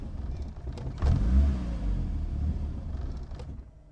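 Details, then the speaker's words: Built project car after base map adjustments and fuel pressure regulator changes, battery going flat: engine catches with a short burst of revs, then sags and fades out; won't hold idle, like a very bad cold start. "Um, can't get the car to idle. Can't get it to run. It's like it's on a real bad cold start."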